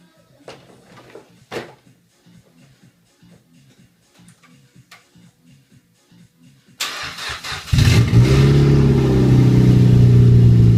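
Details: Mazda MX-5 NC Sport after a flood-damage engine rebuild, first start with no exhaust fitted: loud open-pipe idle with a rough rattle from a dry power steering pump, plus smoke from oiled bores; both settled on the second start.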